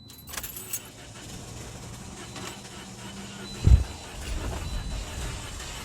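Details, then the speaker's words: Toyota Corolla booked for a starter replacement: keys rattle, then the starter spins the engine at a healthy, even pace with no firing; starter works, so it cranks but won't start from another fault. "that sounds to me like the starter is working so it looks like we got a whole nother issue"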